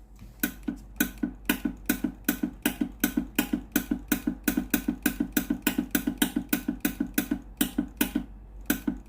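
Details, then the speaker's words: Philips GC9622 steam iron with no steam; on pressing steam button the electrovalve clicks sharply about four per second yet no steam and hose stays cold: steam valve clicking with no steam output, boiler found faulty and replaced. "ได้ยินเสียงวาล์วน้ำทำงานปกตินะครับเสียงอิเล็กโทรวาล์วนะครับดังแจ๊กๆนะครับแต่ไอ้น้ำไม่ออกนะครับ"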